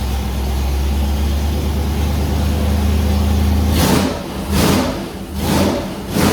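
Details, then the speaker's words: Gen 2 LT1 350 small-block Chevy, sat nearly 20 years, on dyno with carburetor, first start: deep steady V8 idle, sharp clean throttle blips; runs with oil pressure, distributor roughly timed. "yay it's aive it's got oil pressure taking throttle obviously the distributor's somewhere close"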